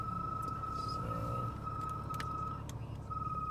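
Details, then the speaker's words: Mercedes E320 W211, 186,000 miles, below-freezing weather: interior blower motor at low fan speed makes a thin, steady high-pitched squeal/chirp with short dropouts over cabin hum; quiet above half speed. Blower is due for replacement. "so this is the season or the time where my mercedes actually makes a noise it's like a screeching noise which is actually coming from the blower motor"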